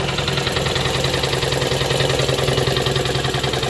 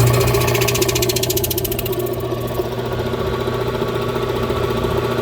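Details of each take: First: 1966 air compressor, rewired and replumbed as replacement for a failed unit, pumping up from zero: steady even chugging at about three and a half strokes a second with smooth motor hum; normal running. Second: Oil-bath twin-cylinder air compressor, slow to build pressure for years before the tone changed, crankshaft turning but barely any air out: even thumping about three beats a second over flat motor hum, no labouring; not building pressure, cause unconfirmed.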